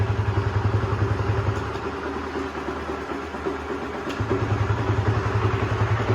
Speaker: Oke, jadi seperti itu kira-kira suara mesinnya setelah mengalami penggantian rantai keteng, lidah tensioner, dan juga tensionernya. Jadi suaranya terlihat jauh lebih halus dibandingkan sebelumnya.